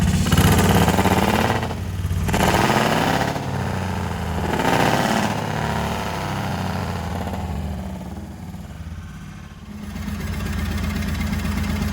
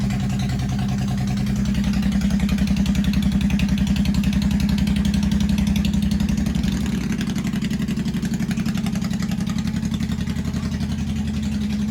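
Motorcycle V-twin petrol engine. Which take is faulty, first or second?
second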